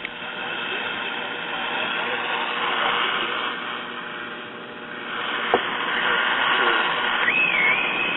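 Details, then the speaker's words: Packard Bell tube radio: hissy AM band noise with a thin high squeal wavering in pitch; began when the loop antenna was mounted to the chassis back, suspected local oscillator RF picked up by the loop causing oscillation. "the radio was working great and then i mounted the loop antenna to the back of the chassis where it would be when it's mounted for reinsertion into the cabinet and it started squealing"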